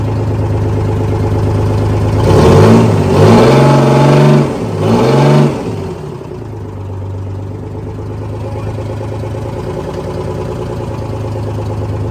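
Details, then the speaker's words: Detroit 6-53 two-stroke diesel in a Kenworth/RFW 6x6 off-road garbage truck with Allison automatic, after sitting at least four years: revs up and down a few times, then settles to a steady, even idle without stumbling; runs well. "Well, the brakes are releasing and it's going into forward and reverse gear quite okay. The motor's also running quite well."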